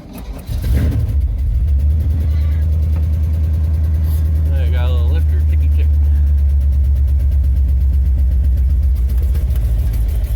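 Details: Ramp truck extreme cold start at 10°F in blizzard with 40 mph winds, battery swapped in, gas pedal pumped; fast light ticking about four per second over steady deep idle, typical of a dry lifter on cold start.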